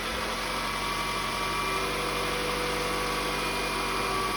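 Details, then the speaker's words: Toyota Camry ACV41 2.0 petrol, cold morning start after overhaul for white smoke and oil burning (about 1.5 L per 10,000 km; new rings and seals): steady, even, smooth idle with no knocks, ticks or misses; healthy. "เรามาฟังเสียงเครื่องสตาร์ทตอนเช้ากันเนาะอันนี้เครื่องเย็นๆนะครับเพื่อนก็ประกอบเสร็จมาแล้วนะโอเคนะครับก็เครื่องเดินเรียบนะเดินเรียบปกติไม่มีปัญหาอะไรนะครับ"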